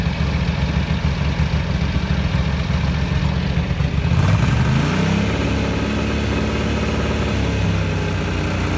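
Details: 1983 Ducati MHR bevel-drive twin, 40mm Dellorto carburettors after vacuum-gauge balancing: steady idle, then a quick blip dropping cleanly back to an even settled beat; carbs well balanced, normal idle.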